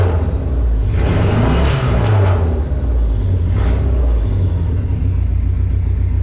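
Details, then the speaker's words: Dodge Neon SRT-4 at cold idle in freezing weather, code P0304, cylinder 4 active misfire with no spark, check engine light blinking: deep, lumpy, stumbling rumble, running rough; also P0456 EVAP, suspected cracked exhaust manifold. "yeah running pretty rough uh I don't know how if it's coming through the camera but it's in bad shape"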